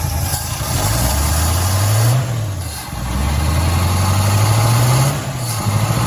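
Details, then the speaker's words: 1970 Pontiac Tempest V8 just revived on a temporary fuel line with a hot-wired coil: lumpy, uneven idle that surges and sags every couple of seconds; ignition timing set too far retarded. "Doesn't have the smoothest idle, but it's running."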